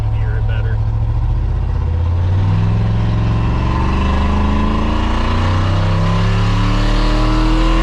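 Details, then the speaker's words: 2003 Silverado 2500 6.0 V8 before long-tube header install: very loud, raw blatting roar rising and falling with revs; terrible exhaust leak, dual exhaust broken behind O2 sensor with only one side connected to the muffler. "Terrible exhaust leak, super loud. It's a dual exhaust and only one side is connected to that muffler."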